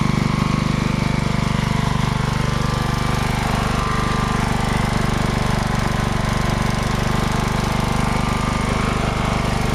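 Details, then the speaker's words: Riding mower small engine after an oil change, hard to restart, needing throttle and choke fiddling and only starting with something unplugged: loud running with an uneven pulse as it hunts for speed; surging, cause not found. "I'm able to start it up, but it surges like an SOB. And I have to play around with the throttle and kind of like get it into choke and so forth."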